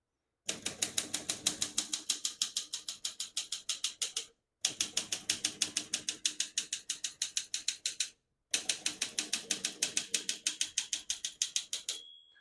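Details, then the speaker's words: 1961 Olympia SM7 manual portable typewriter, serviced, margins set 0 and about 75: three lines of brisk, even keystrikes about three a second, then clear bell ring near margin end; working properly. "you hear the bell, you're near the end of the margin."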